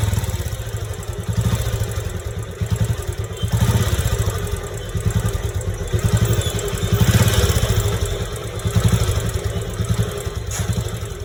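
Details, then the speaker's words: Royal Enfield single at idle before teardown: slow loping thump with constant low mechanical rumble; engine bearing noise only, no crank noise, engine bearings to be replaced. "So இந்த வண்டியில் பார்த்தீங்கன்னா இன்ஜினோட bearing noise மட்டும் வந்திருக்கு."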